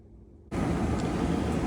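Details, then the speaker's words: Trane XE90 furnace after DIY control board replacement for a buzzing board with red LED: even steady airy rush starts abruptly and holds with no knocks, rattles or squeal; furnace running normally on heat. "okay we're back at the furnace and as you can hear they kicked itself on and it's running Heat"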